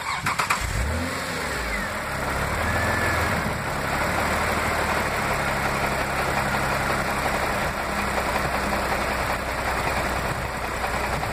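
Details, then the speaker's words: Toyota MR2 with 2GR-FE V6 restarted with A/C on, before the DIY VSV idle-up is triggered: cranks, catches, flares, then settles to a low, slightly laboured idle; idle sag under A/C load. "AC is on and we're gonna see our Idol stabilized miss idling well it's going to stabilize about 650 whatever 640 650 that's what it usually does"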